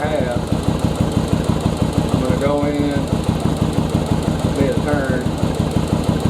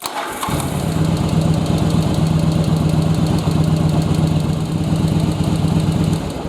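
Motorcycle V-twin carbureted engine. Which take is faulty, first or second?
first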